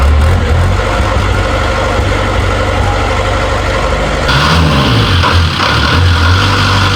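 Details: Series 2 Land Rover diesel, first start in three years after a new starter motor and with a weak battery, glow plugs used: loud, steady idle clatter with an even beat and no misses or knocks; running sweetly.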